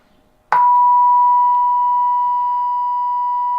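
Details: Mectron record player valve amplifier mod on the bench during power output and distortion measurement. A pure, steady 1 kHz tone starts abruptly and holds level with no hum, buzz or crackle. Clean amplifier output.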